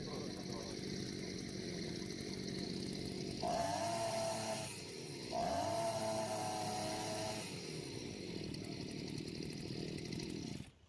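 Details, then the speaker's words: Two-stroke brushcutter after carburetor jet deliberately unscrewed an extra half turn too far open: climbs and sags through rev swells, flat and gutless with no pull; loss of power from over-opened jet, versus correct setting. "No pull. The difference is immediately noticeable."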